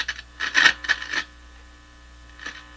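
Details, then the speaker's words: Canadian General Electric C67 tube radio on an outdoor antenna, volume high: a low, steady hum under a few clicks and knob noises that rises with the volume control. Mains hum, suspected high-impedance or open input to the tube. "So that sounds, well, the volume control is voluming this tone, this hum."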